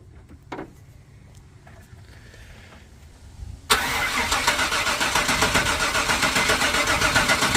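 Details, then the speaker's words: 1995 Chevy Suburban after a full fuel system restoration with new tank, fuel pump and gas lines, only about two gallons of fuel in it: slow, drawn-out cranking for several seconds before it catches and jumps to a fast idle; extended cranking because the dry fuel lines were not primed. "I know we gotta crack it a couple times because it was nothing on the lines"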